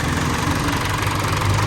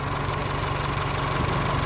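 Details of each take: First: Isuzu 4JK1 diesel before rebuild: idle with heavy uneven knocking clatter under the rumble; stuck, dead piston rings, engine pulled for new fit. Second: Isuzu 4JK1 diesel just rebuilt after dead, stuck piston rings, first start after oil and coolant filled: settles into a smooth regular idle with low even chug, very quiet, no knocking or blow-by.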